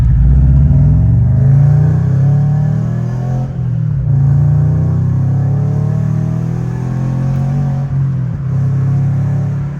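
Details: Subaru BRZ after engine rebuild, driving after owner fixed a front exhaust leak: deep, steady rumble swelling and easing with revs, no ticking; cause unclear.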